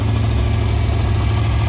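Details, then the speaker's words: Crown Vic V8 idling with a faint, regular light knock under the rumble. A misfire was suspected, but cylinder checks on all eight were fine. Cause unknown; the engine is to be pulled for inspection. "I mean it's just a real slight knock but I don't like that I'd rather pull it out than blow it up"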